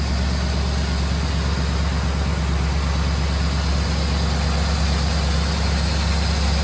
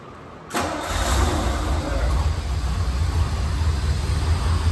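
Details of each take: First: Classic barn-find engine after about 15 minutes' total run time, warming up: steady low idle with a light quick ticking about twice a second on top; sticky lifters still freeing up. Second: Classic V8 inherited barn find that previously sputtered and wouldn't stay running, now checked over: starts quickly and settles into a steady, even idle, cleaning itself up; slight sticky lifters noted after about 15 minutes' warm-up.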